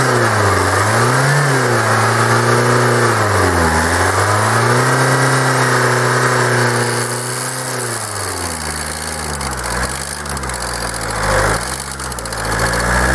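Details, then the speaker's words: Kia 2.0 CRDI Bosch common-rail diesel, hot, revving with the fuel metering valve unplugged: the knock goes quiet, pointing to the metering valve. Cause suspected, not yet confirmed. "no słuchajcie małe zaskoczenie wypięty zawór dawkujący paliwo wydatku paliwa może tak żeby to prawidłowo było No i sami zauważyliście że się uciszył"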